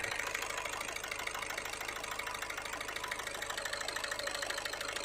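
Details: Skoda Rapid/Fabia 1.6 TDI diesel at idle with vibration, check engine and glow plug light: sharp metallic knocking about three per second over uneven idle; injectors 1 and 4 found not working on connector-unplug test.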